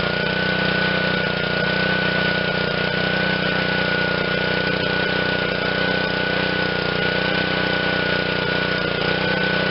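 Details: Honda GCV160 on Black Max 2600 psi pressure washer, after carb cleaning and fresh fuel, cold start: steady, even drone holding constant speed without stumbles, surges or misses; running cleanly.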